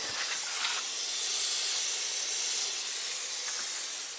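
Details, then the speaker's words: 2006 Nissan Maxima V6 6-speed manual with a front-end hit: steady high hiss of refrigerant escaping while the AC is charged with 2 lbs; leak from a smashed, bent condenser that needs replacing. "Oh yeah, huge leak up front. It looks like this condenser is smashed in or something."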